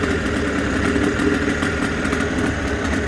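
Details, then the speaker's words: Suzuki DT6/DT8 two-stroke outboard with a makeshift Chinese walk-behind-tractor carburetor fitted (different fuel fitting, choke not working; original carb was the fault): steady fast even idle buzz, no misses or knocks; runs clean. "в целом такой колхоз, но мотор работает."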